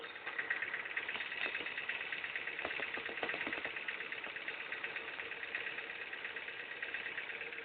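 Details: Ford Fiesta Mk5 idling with a light, loosely regular ticking about three per second near the power steering pump and crankshaft pulley, along with a burning smell. The cause is unclear.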